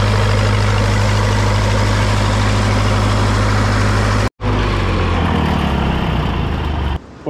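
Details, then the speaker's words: Old SA-200 welder engine after stuck valves repaired, warm after a few minutes running, moisture burning off, no leaks; steady even low chug at idle with clean regular beat, no misses; healthy warm engine. "it's been running for a few minutes now everything's pretty warm got all the uh extra moisture going out of it and I'm not seeing any leaks so I'm going to call that a uh success for now"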